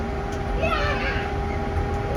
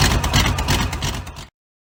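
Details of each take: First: V8-swapped 1972 Mazda B1600 just after first start: engine catches after a quiet crank and settles into a fast idle with a steady light rattle; noises traced to a missing alternator bracket, otherwise expected to run decent. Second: V8-swapped 1972 Mazda B1600 after transmission reinstall with new flex plate, everything torqued (old one thought loose): brief burst of even V8 burble with no knock or bottom-end clatter before it cuts off; normal.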